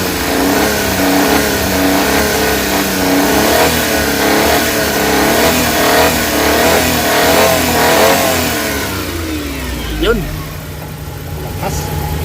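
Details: Suzuki Big Eye F6A fuel-injected engine, after fixing ECM low power, throttle delay and engine vibration: revs up cleanly and smoothly, then settles to an even idle without hesitation or shake; healthy.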